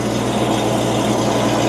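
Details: 1994–1999 Land Rover Discovery 1 idling just after a new exhaust assembly was fitted, checked at the clamps before it gets hot: steady low hum with no puffing, ticking or hissing. The midsection and cats are good, though one clamp leaked slightly and needed tightening.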